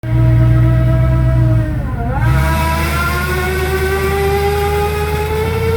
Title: 01 Silverado transmission fail loud noise